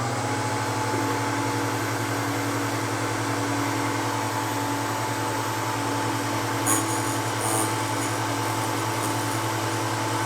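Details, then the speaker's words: Vevor drill bit sharpener with CBN wheel grinding a split point: even motor hum at constant pitch with only a light, smooth grinding rasp; normal grinding operation. "doesn't grind a whole lot"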